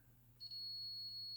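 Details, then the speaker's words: Multimeter continuity test on a removed STK-1060 output module from a Mitsubishi DA-R20 receiver: one steady high beep about a second; pins 8 and 9 shorted, 2 and 3 fine, possibly normal. "interesting eight and nine are together two and three are fine eight nine are shorted two and three are okay eight and nine"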